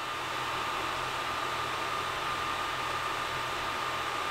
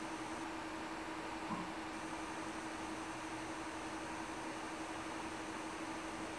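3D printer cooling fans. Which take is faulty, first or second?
first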